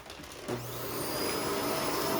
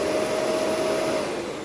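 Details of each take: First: Shark Rotator NV520 vacuum picking up baking soda: strained hollow roar with rattly whoosh, not picking anything up; debris packed in cyclone and filter, clogged cyclone choking suction. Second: Shark Rotator NV520 vacuum with pre- and post-motor filters tapped out: a smooth, steady motor whine with even airflow and no rattles or surging, winding up and down normally.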